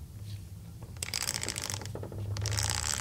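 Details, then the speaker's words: Ford 4R70W automatic transmission being rebuilt: quick light clicks in two short bursts as the diode-style sprag is turned by hand, the normal freewheel ratchet sound that made these units noisy, hence the anti-clunk spring. "hear that clicking when they added that style of sprag i think it made these i mean just made them noisy"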